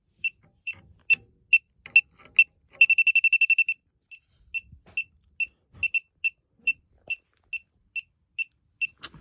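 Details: Elitech WJL-6000 refrigerant leak detector at a known leak site: shrill high beeps about twice a second, quickening into a rapid burst, then settling back; owner unsure if leftover soap residue is triggering it. Leak detector alarm.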